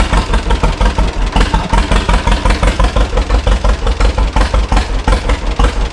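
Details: 1936 John Deere Model A two-cylinder, first start after three years sitting, choke on. It has new plugs and cap and sanded points; the carburetor is not rebuilt and the owner suspects a sticking float. A slow, loping pop at about three beats a second stumbles now and then: rough idle, adjustment needed.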